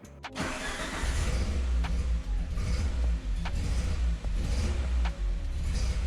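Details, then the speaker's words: Restored Peugeot 205 GTI with ported and polished head, first fire-up: after a short crank it runs with an uneven, lumpy beat and regular dips instead of a smooth idle. Distributor adjustment may be needed. Rough running. "I'm actually a bit surprised as the engine does sound a little bit lumpy. Even though it's ported and polished, it should still sound smoother than this."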